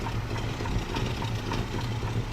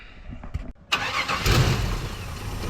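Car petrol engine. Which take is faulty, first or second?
second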